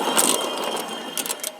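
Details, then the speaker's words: Cub Cadet LT1045 mower deck, center spindle spun by hand next to a good one for comparison; dry gritty rattle with uneven clicks instead of a quiet spin; worn deck spindle bearing, to be replaced. "okay this spindle is one that's bad and listen to it as I spin it this one is a good one that's how it's supposed to sound and this is good the one in the center is bad"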